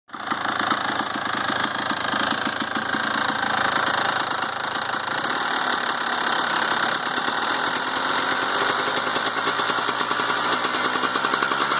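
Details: 1992 Kawasaki KDX200 two-stroke at steady idle with a fast, uneven metallic rattle over the exhaust; owner asks whether the rattle is normal, source unclear.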